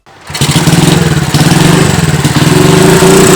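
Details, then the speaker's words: Honda CB100 being restored, slight oil seep: revved hard, the single's note turns coarse and ragged near the top. Rough running at high RPM; owner suspects worn camshaft and rocker arms, not confirmed. "hidup-hidup Hei kemungkinan noken as sama platuk klep nya udah agak rusak Hai pada saat RPM tinggi dia Suaranya kasar nanti kita perbaiki lagi"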